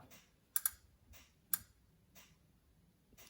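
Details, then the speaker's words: Mitsubishi Pajero Gen 2 1997 2.8 4M40 being reassembled, engine turned over by hand under compression: sharp, uneven clicks about once a second as the timing chain tensioner ratchet extends; normal. "Okay, so let's hear for that distinctive noise. So we're going to turn the motor over this way. There we go, you heard it clicking."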